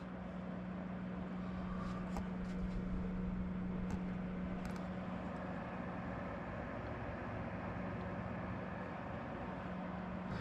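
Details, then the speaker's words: Cooluli Concord 20 liter mini fridge after replacing both loud fans (run 24/7 for 3+ years) with Noctua fans: steady even low hum with soft airy hiss, no rattle; much quieter, normal fan running. "that is much quieter and a lot more tolerable of a sound that's incredible"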